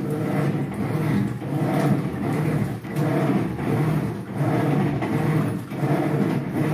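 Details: Electrolux 8.0 kg washer after overflowing-water fault fixed; rhythmic even swishing strokes about every 1.5 seconds, agitator cycling normally after fill.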